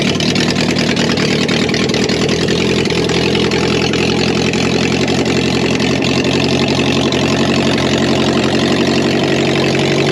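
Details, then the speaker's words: Subaru BRAT project car started up with catalytic converter removed; knocking previously heard was traced to the failing cat, not the motor. Loud, raspy, brisk idle with harsh open exhaust note. "Is there anyone out there that's curious to know what it sounds like without the cat on? I am. I am. Start her up, Pear Bear."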